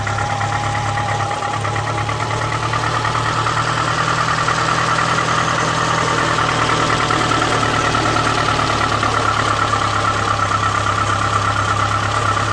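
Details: Renault Espace III 2.0 petrol, cold: uneven light knocking at about one to two a second over a steady idle, lasting about a second. Owner suspects valve play; not confirmed.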